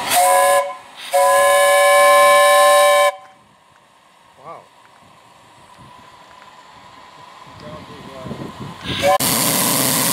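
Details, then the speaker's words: 1.5-inch scale 7.5-inch gauge live steam 4-6-2 Pacific locomotive fired up and tested: two clean, high, steady whistle blasts, one short and one about two seconds, no sputter or wavering; whistle works properly. "well john's going to let the fire kind of die out now because we've tested the brakes and the injector and the whistle"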